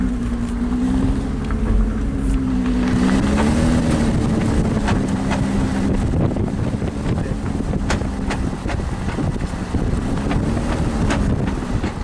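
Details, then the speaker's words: 2003 Nissan Murano at about 15 mph: sharp irregular pops and knocks over road and wind noise; transfer case suspected bad and binding, not the CVT transmission repaired a year earlier; P0725 engine speed code stored. "Okay, driving this is making a popping noise, almost like the transfer case is bad."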